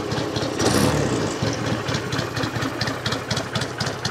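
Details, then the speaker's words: 1963 BSA Rocket Gold Star in touring trim, settled to tickover: an even, lumpy beat about four per second, steady with no knocks or misses, a nice sweet healthy idle. "she's got a nice sound this one actually does Twitter but I think you agree it's a it's a nice sweet bite when that's warm"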